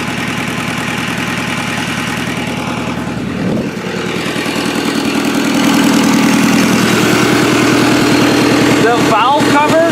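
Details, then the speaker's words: Toyota Solara/Camry demolition derby car after the derby: rough idle with a loud, hard, regular diesel-like clatter about three beats a second, and more smoke from the valve cover than the exhaust; heavy blow-by, badly worn engine. "they were oil again it sounds like an old CBI easel there's more smoke coming out of the valve cover then there is the dog holy"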